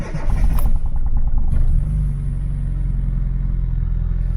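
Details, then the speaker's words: Mini Cooper MPI genuine cold start after 3 months unused: catches and flares briefly, then settles to an even, steady low idle with no knocks or stumbles; oil pressure slow to build, normal cold start. "took a while for the oil pressure to build up but it's fine yeah seems fine"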